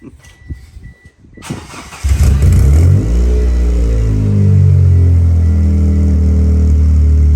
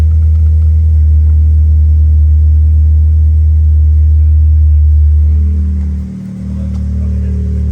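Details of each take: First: 1996 Eclipse starting after fuel pump work, with no water in the cooling system: after a short crank it catches and settles into an unsteady, wavering idle; running but rough. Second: 1996 Mitsubishi Eclipse, revived with a new fuel pump after finding bad old fuel, started with no coolant in it: it catches and holds a deep, steady idle with one brief dip, then recovers and runs smoothly.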